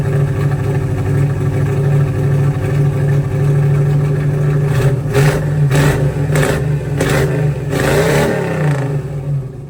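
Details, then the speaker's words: 1985 Oldsmobile Cutlass with swapped budget 283 small-block Chevy V8, Holley 600 carb, new exhaust: uneven stumbling beat with irregular pops, sounds like missing, hesitating then picking up; late timing had caused backfiring, miss cause unconfirmed. "so it definitely sound like it was missing though and there's a few times where I noticed it as well where it just kind of seemed like it didn't want to pick up and all of a sudden it would kind of pick up"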